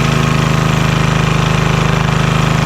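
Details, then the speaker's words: Vintage Homelite generator, probably late 1970s, that sat about 30 years, started after fuel and choke work: steady, even, quiet single-cylinder putter with no knocks or misses. Normal running. "It's nice and quiet too. That is great."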